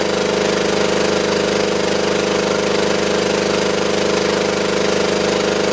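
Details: Belt-driven air compressor on a scrap-saved single-phase motor at 240 V, after the crossed capacitor wiring (start cap fitted in place of run cap) was fixed. Steady even pumping drone at constant pitch with a smooth regular beat; current draw falls as compressor oil warms.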